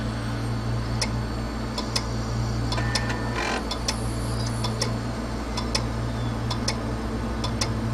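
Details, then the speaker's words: Hard drive powered up on the bench: sharp ticks, often in pairs, about once a second over a low motor hum, then it spins down and back up and clicks again; failed read/write heads. "you hear that steady clicking and what these drives will typically do is they'll power down or spin down just uh a little bit after a few clicks and then spin back up and start clicking again"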